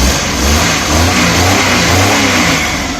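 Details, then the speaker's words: Suzuki Mehran/Maruti 800 (800cc) that had died on the road, cranked from the key inside: engine starts and runs with a steady roar and uneven revving, no misfire knocks; running normally. "मारो सलफ, अभी देखें इसको सलफ मारेंगे तो गाड़ी देखते हैं कि अंदर से सलफ मार रही है या नहीं।"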